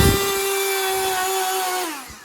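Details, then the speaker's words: Aged Black+Decker Dustbuster CHV1410L 16V handheld vacuum: harsh high motor whine with a buzzing edge, sagging as it spins down, with a bad smell; abnormal motor noise, and the owner suspects the brushes or the worn motor. "So it's still working, but if you listen again, it sounds terrible and there's a bad smell."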